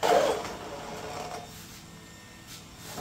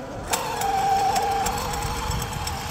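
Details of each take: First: Traxxas XRT (Leopard 1000KV, Castle 8S) after fitting a new drive shaft and fresh fluid in the center gear: motor and gears whir up and down with throttle, with no metal clangs or grinding. Normal drivetrain operation. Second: Traxxas XRT with Leopard 1000KV motor, 1.5 mod gearing and Castle 8S ESC, after a jump: a high motor whine with irregular sharp clicks and rattles. The drive shaft may be wiggling inside; owner also suspects the center diff. Broken drive shaft.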